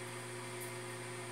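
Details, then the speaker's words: Newly bought automatic egg incubator just switched on, warming from 23 °C toward 37.5 °C: soft steady hum with faint even whir, no rattle, fan running quietly and normally. "Então, gente, acabei de ligar a chocadeira, olha, ela faz esse barulhinho, ó, que vocês estão escutando."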